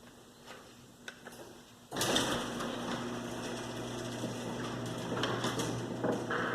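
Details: Garage door opener running after the door hinges were lubricated: a few clicks, then the door rattles and rumbles loudly as it travels over a steady motor hum; the lubrication made little difference.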